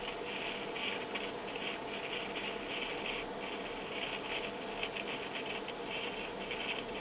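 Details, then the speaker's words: Yaesu FT-7800 radio noisy on transmit: irregular scratchy crackle and hiss in transmit audio with PTT pressed and no modulation, reproducible; suspected loose connection or broken wire in microphone wiring. "and it seems that it is here something uh in the wiring so maybe a loose connection or a broken wire so both can uh be but we clearly can reproduce it"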